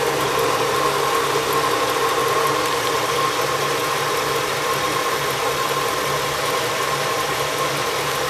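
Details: 1985 Oldsmobile Custom Cruiser 5.0 V8, power steering belt removed so only the alternator belt runs, curing the belt squeal: steady, even idle with a smooth low rumble and no squeal or chirp.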